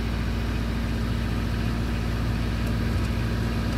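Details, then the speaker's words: Franco-Portuguese 4x4 diesel with a starting problem, cold warm-up left on high idle: a steady, slightly raised idle with an even low rumble, no knocks or misses. High idle during cold warm-up. "Donc il faut laisser le idling, le ralenti haut pendant un petit moment, et il m'a dit le préchauffage des bougies, du préchauffage du truc, enfin faut laisser 2 minutes,"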